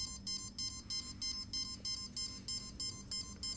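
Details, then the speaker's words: Cheerson CX-20 quadcopter during ESC throttle calibration after an APM 2.8 upgrade: a steady run of short, high, evenly spaced beeps about three per second. One ESC has entered programming mode. "so if you end up getting this weird sound don't push it down again cuz right now one of the esc's actually went into a programming mode"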